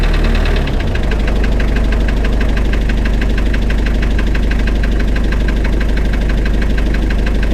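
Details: Spryte snowcat "Rusty" turbodiesel after new OEM Zexel fuel injectors fitted and system primed: brief crank, fires and settles into steady even clatter about three and a half beats a second; noticeably smoother, rock-solid idle.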